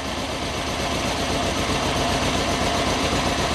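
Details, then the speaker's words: 27-year-old Yamaha Royal Star 1300 V4 with under 5000 miles and one cylinder dead, warm idle; note rises when brake cleaner is sprayed, vacuum leak, not confirmed as the dead-cylinder cause. "okay we have a vacuum leak now that's not to say that that's the reason why this cylinder was dead"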